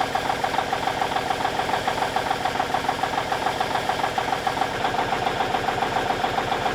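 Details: 1989 Kenworth K100E with Cummins Big CAM IV diesel, cold start at -6°C not plugged in, idling while warming up, a little smoky; steady quick even clatter about three and a half beats a second, no misses or knocks: normal diesel idle.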